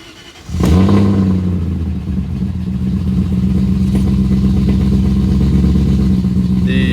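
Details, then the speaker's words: BMW 540 V8 engine swap, cold start after sitting overnight, no catalytic converters, resonators only: brief crank, catches, settles to smooth deep steady idle; check-engine light for secondary air pump and a bad O2 sensor, slight exhaust leak on the bottom left. "So you can hear what it sounds like on cold start because it's been sitting overnight with no cats and just the resonators."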